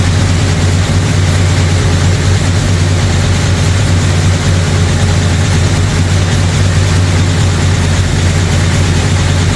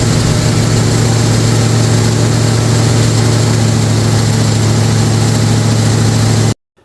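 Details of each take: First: Brand-new 445 stroker FE V8 in a 1962 Ford Galaxie on its first break-in run. Deep, lumpy idle with a faint light clatter on top: a lifter or two ticking and needing adjustment. Timing also needs adjusting; oil pressure and water temperature are good. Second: First fire-up of a brand-new 445 stroker FE V8 in a 1962 Ford Galaxie. A strong, steady rumble is held at a fast, even speed with no knocks or ticks, then cut off; the fresh engine sounds healthy.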